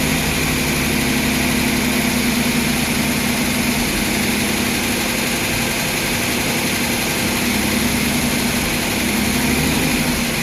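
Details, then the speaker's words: Ford inline-six in a Willys sedan delivery, first start 15 years after install, choke and timing not yet set: loud, rough-running idle with busy, uneven ticking about three per second; owner suspects noisy lifters, unconfirmed. "it sounds like it's gonna run but uh lifters are kind of noisy kind of scaring me a little bit"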